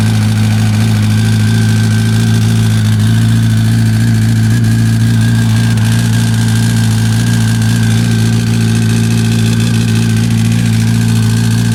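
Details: 2005 Yamaha R1 (5VY) four-cylinder engine at idle: a light metallic rattle rides over a steady low hum. The owner is asking for the cause.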